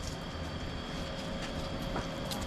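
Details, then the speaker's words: Mendeola 2D new flange drive bearing spun by hand before installation: smooth, faint, steady whir with no grinding or clicking, how quiet a healthy bearing should be. "that's how quiet they should be and here's the one I took out"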